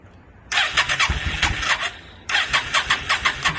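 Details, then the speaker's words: 2002 Yamaha V-Star 650, newly acquired, in need of tune-up and rusty tank: two cranking bursts of about 1.5 seconds, starter spins engine but it never fires; owner suspects he flooded it; hard start. "i know i probably flooded it out and all kinds of stuff i was just real anxious to to hear it start which i i did get it running for a second which you guys will see but i'm pretty sure i flooded it out"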